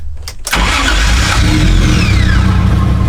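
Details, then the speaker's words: Freshly swapped 1JZ VVT-i engine, first start-up: starter whirs briefly, engine catches at once and settles into a smooth steady idle; normal start, though an ECU-offline fault persists and the cheap Bosch coils are suspected. "all right well the cars starting up easily and running well which is really good news"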